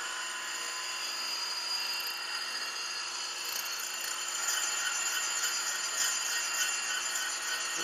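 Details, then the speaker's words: Grinding a pin sticking out 1.8 in unsupported with a free-cutting 100-grit Radiac wheel at 0.001 in per pass, pushing toward 0.120 in: steady wheel hiss with a faint high ringing as the part sings; back off the feed. "I can hear the part singing a little bit at a thousands per pass I mean you have to back it off at this but I'm gonna see how far I can go"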